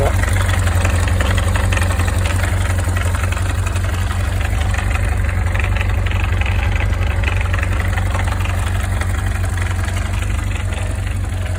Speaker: Voilà, donc elle racasse, mais c'est une Zéphyr, donc c'est normal.